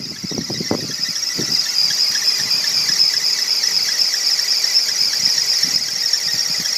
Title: 2001 330i Belt Squeal